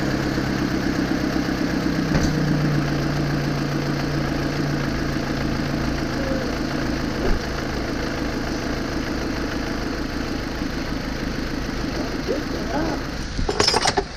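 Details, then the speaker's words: 2002-2007 Saturn Vue 2.2 litre, first startup after a new coil pack and new spark plugs gapped to 0.045 in: even, steady smooth idle with no stumbles; misfire cleared. "How smooth that is. Cleared it right up. Cleared it right up. Yeah, so I think we have our misfire solved."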